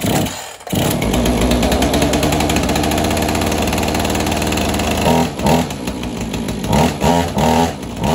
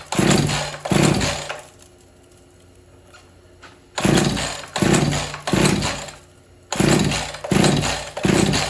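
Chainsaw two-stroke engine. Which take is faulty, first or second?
second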